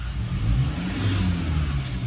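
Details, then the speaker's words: Toyota 1GD diesel free revving: climbs and falls cleanly and evenly like a petrol engine, with no knock, rattle or hesitation; belt squeak in background is from a different nearby engine; normal free revving. "It's like a bloody petrol engine."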